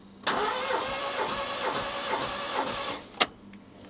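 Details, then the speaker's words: Rover 114 GTi 16V, long neglected, compression test at full throttle cranked from outside: short burst of cranking with even steady compression beats; this cylinder healthy, readings around 185–188. "So, like this, it's giving it full throttle and I can crank it for a couple of revolutions and then read the compression."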